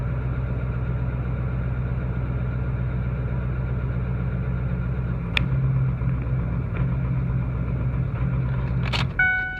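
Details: 2008 Ford 6.4 diesel, deleted with SCT tuning, cyl 3 contribution/misfire and glow plug codes, cyl 3 injector replaced with reman without change: idle starts smooth, then intermittent miss and surge with unburnt-fuel smoke until warm; cause undetermined.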